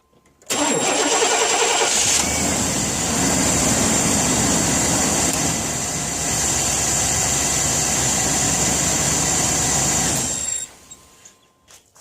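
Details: 1998 Chevrolet Suburban C1500, started just after replacing the failing battery. Quick crank catches at once and settles into a steady, even idle with no stumble or knock. Normal start and idle.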